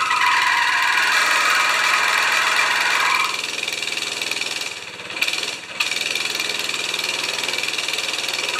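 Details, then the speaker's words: 196cc single-cylinder plate compactor, previously seized, now running after repair. A steady thumping beat dips briefly as the clutch finally lets go and engages, then settles back: normal running. "so sounds pretty good actually clutches too okay i call that a success we've gone from a seized plate compactor to an operational plate compactor"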